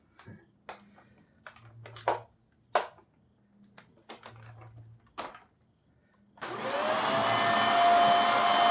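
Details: Hoover Air Steerable vacuum motor, run on test after a commutator polish: it spins up to a steady, even roar with a clean high whine and no rattles; normal healthy run.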